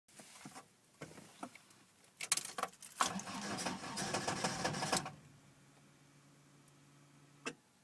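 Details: Toyota AE86 with 20V Silvertop engine on Blacktop electronics, started after sitting overnight or many hours: scattered clicks, about two seconds of labored cranking, then a faint weak idle catching; recurring hard cold start with extended cranking.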